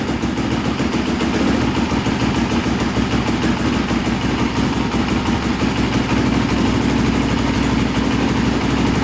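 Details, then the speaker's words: Polaris Predator 500cc quad, first start after fixing its no-compression problem with valve work, choked, after about 17 attempts. The single-cylinder catches and settles into a steady, even putter with a crisp exhaust beat, running normally. "that's what i'm talking about oh she started finally that was awesome to hear that"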